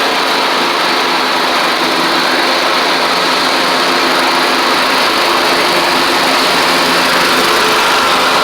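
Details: Troy-Bilt Horse XP on a replacement engine, cutting passes after an overnight sit; it didn't want to start that morning. Loud, steady, high-pitched single-cylinder drone holding speed while cutting, no surging or knocking. Healthy normal running under load.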